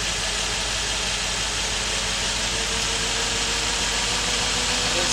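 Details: 2005-2019 Nissan Frontier with code P0300, running rough, during a power balance test: uneven, lumpy, stumbling idle that stays the same with cylinder one killed, so that cylinder is dead.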